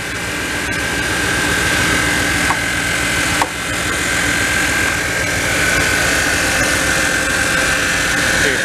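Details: 1997 Dodge Ram V8 pickup parked four years, now started after repairs: even, steady idle with a light high whine over it, no knocks or misses; oil pressure 40, check engine light on.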